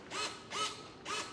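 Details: FMS Ranger 1220mm PNP RC plane in SAFE mode: short smooth whirring bursts about twice a second as servos move the elevator trying to level the plane, no grinding; normal servo operation.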